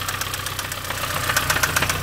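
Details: Mini One R50 1.6 16v 90hp petrol as it revs under light acceleration: fast, sharp metallic ticking of roughly seven a second, with no smoke. Slack timing chain; the oil-pressure hydraulic tensioner is believed failed.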